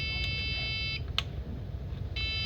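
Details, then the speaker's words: HP Pro motherboard (Vinson rev A) with RAM installed, core supply, CMOS battery and 1.2 V RAM supply checked OK, liquid spill seen: steady high beep, cuts out about a second, resumes, no display. "RAM लगा हुआ है। फिर भी यह beep sound किए जा रहा है। आप देखेंगे ऑन कर रहा हूं। देखिए बीप साउंड कर रहा है। डिस्प्ले नहीं आ रहा है इस केस में।"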